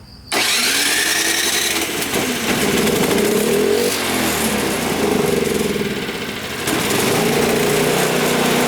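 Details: Toro single-stage snowblower that would not start, after fresh fuel, primer and GumBuster carburetor cleaner soaked five to ten minutes: catches immediately after a short pull, then runs steadily with small speed swings, normal start and run.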